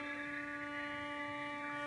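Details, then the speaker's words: Computer monitor switching power supply picked up on an indoor LF/MF loop antenna receiver, monitor being rotated to null it: steady buzzing hum with stacked overtones; switching power supply RFI. "i'm rotating the monitor to my right and you'll be you'll watch the noise floor drop drop"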